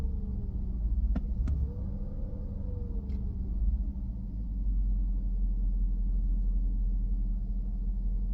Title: W221 S550 slow return to idle, rough idle, rising rpms, low power